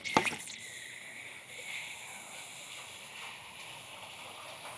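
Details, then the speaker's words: Ice bath chiller filter casing being refilled via the red button after reconnecting hoses: steady airy hiss with no pulsing as trapped air vents; normal, hiss stops once the casing is full of water. "And when the hissing is finished, we know that the filter casing is full of water."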